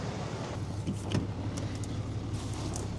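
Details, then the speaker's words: Cummins diesel truck that idled rough on cold starts at -20 to -30°C, just restarted after a fuel filter replacement: quiet, even low diesel beat with a few handling clicks. Idle is smooth and healthy after the repair. "Look at that idle. Couldn't be any smoother."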